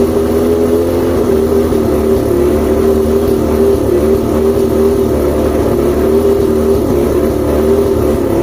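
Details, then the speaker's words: Outboard motor, after plugs checked, fuel pump and carbs rebuilt, trigger loosened and spark confirmed on all cylinders: steady drone with uneven throb and a wavering high chirp on top; rough idle with chirp, cause still unknown. "I still have a chirp, which is driving me nuts."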